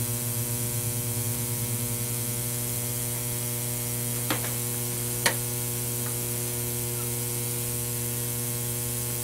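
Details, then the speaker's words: Ozone generator ceramic plate, to be fitted in a Filtrete FAP02 air purifier: steady mains buzz with fizzing crackle and sharp snaps from corona discharge, strong ozone odour; normal corona discharge buzz. "you can hear the buzzing that buzzing sound it's actually coming from the corona on the ceramic plate"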